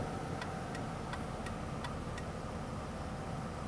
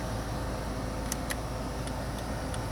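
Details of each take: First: 2001 Ford Taurus turn signal with working bulbs: six sharp, even clicks about three per second, then the clicking stops dead; intermittent signal caused by a failing flasher relay under the steering wheel. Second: 2001 Ford Taurus after replacing the turn signal/hazard relay with the original part: crisp light clicks about two to three a second over the engine hum; flasher working normally, like the original.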